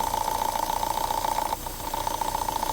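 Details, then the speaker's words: Vauxhall petrol engine idling rough with fast pulsing hum that briefly drops out; code P0171 fuel trim lean; strong crankcase suction; purge valve replaced without effect; PCV valve in rocker cover suspected, vacuum leak. "it sounds terrible. Well, here's the engine code I got. Obviously, was it P0171, fuel trim system lean."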